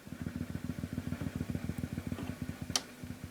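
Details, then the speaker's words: 1965 Ampeg Jet J-12T tube combo amp, first-version tremolo, before service with suspected bad valve socket contacts: steady low thump about ten per second through the speaker with nothing played; tremolo thumping badly. "the chairman of does thump badly I don't know if that can be cured you can hear it"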